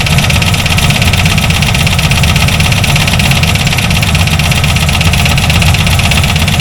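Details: C4 Corvette engine with bent ("noodle") connecting rods: a rough idle with an uneven knocking rattle under a heavy low rumble. The rockers were checked and are okay; it is unclear whether some noise comes from the transmission.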